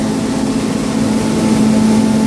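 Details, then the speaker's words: Grain dryer running with meter roll speed at 18%, heard from behind the dryer with the pipes warm: a steady, even rushing hum with constant mid tone, no knocks or surges; normal grain flow through the pipes. "I can hear grain moving through the pipes so I can hear the grain moving through the pipes it's pretty noisy back here but I can hear it moving through"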